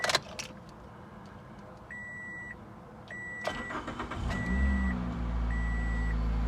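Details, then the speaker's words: Toyota Corolla XRS started after reconnecting battery and evap hoses: starter catches, then a steady low droning hum over the idle from the air injection pump; normal cold start with secondary air pump running. "you hear that that's the air injection pump so it did start"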